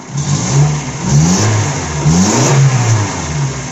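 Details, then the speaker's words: Suzuki APV, G16AD engine, after fixing catalytic converter/muffler noise: clean rev blips rising and falling smoothly, no clanking under the catalytic converter anymore; exhaust sounds solid. "Wala nang maingay. Okay na. Yan, umandar na. Sige nga, i-rip mo nga. Wala nang ingay. Wala nang kumakalampak sa ilalim ng catalytic niya ulit."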